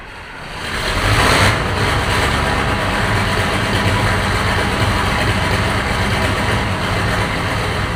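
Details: Engine (tractor, possibly a 9700) fired right up after an injector was fitted with new copper washers, having sat about 9 months; catches within a second and settles into an even, steady diesel rumble with no misses or knocks; normal running.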